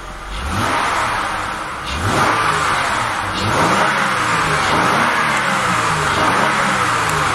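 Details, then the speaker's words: 2000 Acura 3.2 TL after camshaft and crankshaft position sensor replacement for rough idle and misfire codes (P0300, P1399, P0302, P0303), formerly coughing on start. Smooth idle that revs cleanly and settles back with no misses, knocks or squeals: normal. "Man, it used to be when I'd start it up, it was like coughing and wheezing and sounded horrible."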